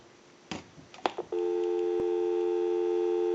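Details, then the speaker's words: Northern Electric 302 rotary desk telephone on a line out past the analyzer, before calling a time-and-temperature number: a few handling clicks, then a clean, steady, unbroken dial tone; line and receiver work normally. "we can call a time and temp number so we'll go ahead and give you some dial tone"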